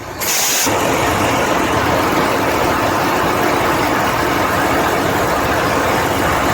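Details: Ship diesel generator after the hard-starting problem was fixed: brief crank, then it catches within a second and settles into a loud, steady diesel roar; starts and runs normally.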